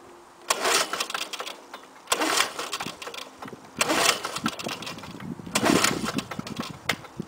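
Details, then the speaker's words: 1984 Lawnboy 4630 mower, F engine, cold start in 15 °C weather, fuel valve open, started last year; four sharp pull-cord bursts, never fires; owner suspects bad ignition coil: no-start. "well his tisk probably the ignition coil is bad on it yeah 4630 going to have to look at that one"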